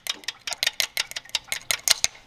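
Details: Dodge Dakota after an engine swap, at first fire-up: crisp, steady metallic ticking, about five or six a second, with little rumble underneath, traced to the timing chain tensioner, which is to be replaced.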